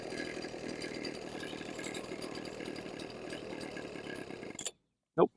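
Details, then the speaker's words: Husqvarna 125B leaf blower two-stroke during carb tuning after no-start repair: buzzes high and ragged then cuts out abruptly; idle mixture too lean, richened by a quarter turn. "too lean all right I'm going to richen it by a quarter turn"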